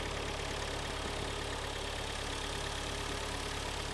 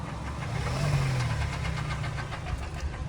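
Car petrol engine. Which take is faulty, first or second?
second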